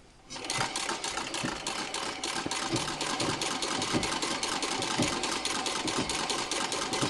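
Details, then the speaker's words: Treadle sewing machine from around the 1900s, dry Pitman rod ball bearings hitting the flywheel axle, partly repacked with Vaseline and turned by hand: rapid even clatter with soft knocks each turn. Still clunking, but nowhere near as loud. "inside this ring are little ball bearings and every time I move the petal because all the grease is gone in there the ball bearings are hitting the axle for the flywheel"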